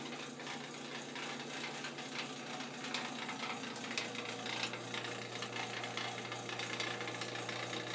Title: Our furnace makes rattling noises all night